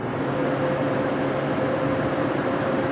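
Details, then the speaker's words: 2003-06 Chevy Trailblazer/GMC Envoy electric radiator fan clutch going bad, engine running: loud steady airplane-like roar over the engine, also raising fuel consumption; failing fan clutch. "You hear that noise? It's like an airplane. That's this fan, this radiator fan."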